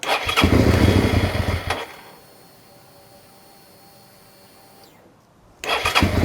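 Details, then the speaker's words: Suzuki SV650 V-twin that starts then dies after a second: catches and runs unevenly two seconds, dies, fires again; fuel starvation suspected, possibly low fuel or fuel pump fault in tank. "Not convinced. It's entirely possible we've got very little fuel in it and we're running the fuel out of the tank up."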